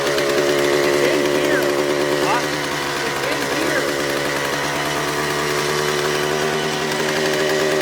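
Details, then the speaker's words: Suzuki TS400 Apache two-stroke, sat outside for years, first start with carburetor untouched after two kicks: loud buzzy scream at high steady revs without dropping back. Runaway, shut down before it got out of control; air leaks to be checked. "okay yesterday it had a little bit of a we call it a runaway situation we shut it down before it got out of control"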